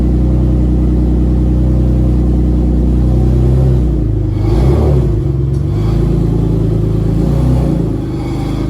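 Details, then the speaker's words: 1994 Dodge Stealth R/T twin-turbo (3000GT VR4) project car: a deep uneven rumble swelling into a rev, with a rough raspy edge from an exhaust leak that sounds horrible; an oil leak underneath is also noted. "Also got an exhaust leak. It sounds horrible."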